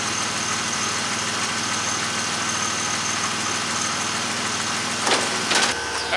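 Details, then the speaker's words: 1999 Pontiac Firebird (4th gen) headlight motor after repair of damaged internal gear with kit: engine idling steadily, then short clean whirring bursts as headlights move; motor runs smoothly without grinding, everything working now. "there it is all bolted together everything's working now"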